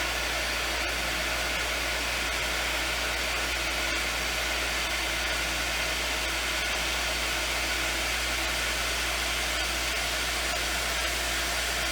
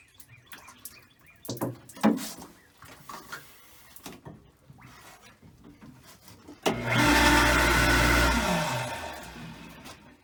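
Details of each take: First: Lodge water-system pump, reinstalled after its frozen impellers were freed and now supplying the bathrooms: steady, even hum with a rush of flowing water, no surging or sputtering; running normally and delivering water. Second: Water system pump, reinstalled after its frozen impellers were freed, during priming. A rough roar rises, then sags in pitch as it strains to draw water, because too much air remains in the suction line.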